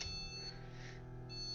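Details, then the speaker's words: H370 Pro4 motherboard that will not see its RAM, still beeping after the module was moved to another slot: a shrill steady beep that drops out briefly and returns. This is the beep code for memory not detected. "Nada, sigue pitándome. No detecta la RAM. Ya me tiene loco ya de tanta pitadera."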